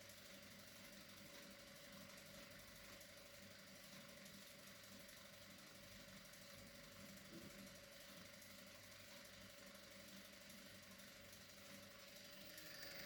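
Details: Arriflex ACL film camera on a table, about 70 cm from the mic, electric motor practically silent, empty magazine with unthreaded film roll: fast steady chatter about four beats a second with thin whirr from camera body, magazine and axle coupler.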